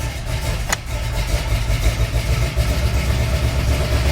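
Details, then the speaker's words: Chevy 350 V8 with solid lifters idling in gear after a valve adjustment and slight carburettor adjustment: deep, even rumble with a steady low beat and no miss; sounds happier in gear, though valve noise remains and more tuning is needed. "definitely more responsive err on the tax [Music] sounds more happy in gear"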